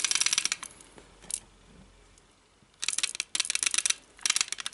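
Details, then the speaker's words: GSG MP 40 9mm PAK blank-firing gun after a 500-round stress test: short bursts of light metallic clacking from the front barrel area when the piece is moved; something loose inside, cause unknown, sights also slightly loose. "hört da so ein Klackern. Ich kann euch nicht sagen, was das ist. Ich habe nur schon gehört, dass das bei einigen anderen auch vorkommt. Irgendwas hat sich da gelöst."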